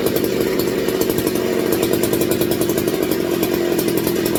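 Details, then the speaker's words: McCulloch MC49 engine, rebuilt, running for the first time in over 40 years on a substituted 090 carburetor, warming up in a roughly 62°F shop: fast steady two-stroke drone, firm mid-pitched exhaust note, unique versus a chainsaw muffler; normal running. "all right that has a very unique sound to it versus a chainsaw Muffler so"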